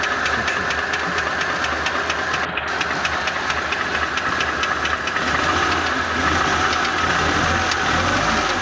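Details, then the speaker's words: ZMZ 406 engine at idle, knock located around cylinder 4: sharp light ticking about two per second, irregular at times; owner suspects the piston pin knocking in the cylinder 4 connecting rod, unconfirmed. "Похоже, как палец стучит в шатуне на 4-м цилиндре."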